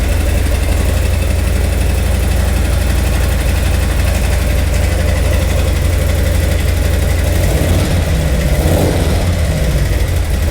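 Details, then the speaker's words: 2018 Harley-Davidson Milwaukee 8, 107 converted to 114 with Screaming Eagle Stage 4 kit within 60 days, under warranty: loud loping V-twin idle with uneven thumping about four per second; owner reports power loss and knocking, likely internal engine damage. "the customer brought it in essentially said that it was losing power and making a knocking noise"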